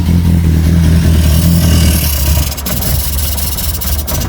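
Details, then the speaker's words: Reliant Regal Supervan 3 petrol engine refitted after years as an electric conversion, first run in the van once dodgy coil connections were sorted. Still on choke, it gives a strong, even note that climbs and falls cleanly with throttle blips and ticks over on its own: normal running. "right after a bit of playing about and dodgy connections on the coil we are running sounds good"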